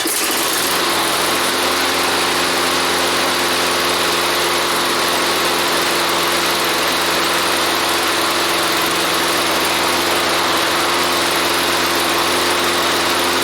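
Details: Toro lawnmower after decarbonizing the cylinder head and fitting a new head gasket: catches on the rope pull and settles into a steady, even buzzing run with no misses or surging; fuel hose leaks slightly; runs healthy after repair.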